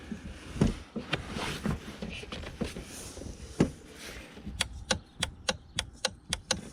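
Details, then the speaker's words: 2001 Volvo V70 XC horn not working: horn relay in fuse position FM12 gives sharp, dry clicks about three to four times a second when horn pressed, no horn sound; clicking relay may work or be defective. "okay that's clicking okay so a clicking Relay can be working as it should could also be a defective relay"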